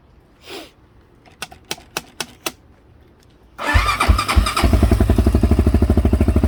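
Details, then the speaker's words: 2004 Honda 400EX with 440 big bore kit, cold start after valve readjustment and reinstalling a missing intake rocker wave washer: a few light taps, then an even, steady idle with no valve clicking. "awesome no leaks that's just the oil that's spilled on the header turn it off success nice and quiet right up"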